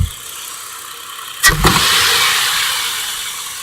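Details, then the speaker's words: Chrysler Concorde 2.7L, warm, after a new water pump, timing chains, guides, tensioner, gears and seals: a wide-open-throttle snap with a loud intake whoosh. It revs cleanly and falls back smoothly, with no knock or rattle. "this beautiful I'm gonna do it again if you hear that whooshing noise that's why we call it a loop test"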